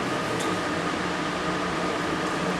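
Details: Portable air conditioner used 3 years in a tuckshop beside a deep fryer, just cleaned of grease and on its first test run with the water tank in; fan on high before the compressor is engaged. Smooth steady rush of air with an even hum, no rattles or scraping: normal.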